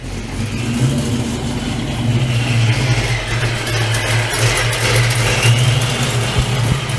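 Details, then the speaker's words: Procharged Fox-body Mustang V8 with a big cam, idling just after a new belt was fitted and tensioned: deep, uneven, choppy lope with a raspy edge from an exhaust leak, faint whine above. "let me um let you guys hear it has a big cam in it and let me see if we can see that and it has an exhaust leak as"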